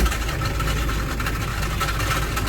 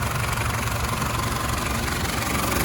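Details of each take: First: Citroen Berlingo 1.9 diesel at a steady idle with a rough dragging rasp over the clatter; worn crankshaft (bottom) pulley, later replaced. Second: Citroën Berlingo 1.9D diesel after replacing a worn crankshaft (bottom) pulley bolted to about 110 Nm: even, steady clatter with no extra knock; exhaust knocked a little only at first start. Normal running after repair.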